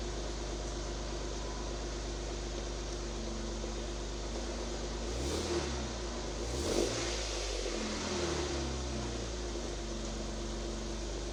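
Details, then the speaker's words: One-ton Jeep JK with a newly built exhaust (one hanger still to add), jump-started: an even idle with a couple of short blips and no rattles or leaks. The note is healthy and no longer sounds like a minivan. "Okay. Well, that doesn't sound too bad. So, it's actually got a little bit of a noise to it now instead of sounding like a minivan."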